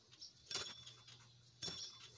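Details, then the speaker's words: Suzuki Grand Vitara 2.0, engine off: a hand-spun belt tensioner pulley gives short, high, scratchy squeaks like the compressor pulley's, from a worn bearing. Idler, compressor and water pump pulleys are also rough, with the steering pump slightly noisy; the battery light was the complaint. "Agikik yung tunog dito. Agikicik kaparehas ng compressor ng tunog."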